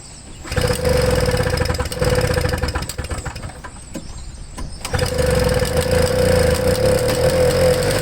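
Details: Toro Snow Commander small two-stroke snowblower with a flooding carburetor, pulled with the fuel line disconnected: it fires and runs raggedly, surging and stumbling before smoothing out as the flooded cylinder clears its excess fuel; flooded engine.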